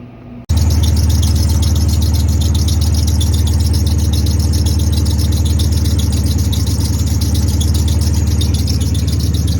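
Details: Ford Maverick smooth, steady low idle with no hunting or surging, after the IAC (idle air control) valve was flipped back to its original orientation; the earlier high idle is gone and idle is normal.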